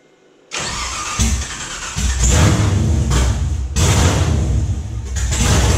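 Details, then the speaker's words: 1969 Camaro LS3 swap, Holley ECU, open headers: cranks, catches, settles into a loud lumpy beat with throttle blips, needing gas to idle; all eight firing, all eight primaries warm, startup tune may need air-fuel adjustment. "all right i think we're firing on all weight i had to use the gas a little bit right there to get it to to idle but uh that definitely sounded like it was running on all eight and all eight primaries are warm"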